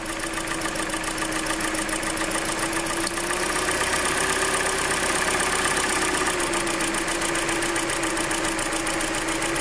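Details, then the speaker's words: Hyundai Elantra 1.8 engine, 69k miles, idle: sharp, even ticking about two per second, heard less at lower rpm, when warm, and more in cold weather; owner suspects piston slap, not confirmed. "So when the RPMs drop, you can definitely hear it less, but that's why some people say that if you drop the RPMs, actually you hear it less. And when it gets warm, you can hear it less too. In cold weather, you'll be able to notice it more."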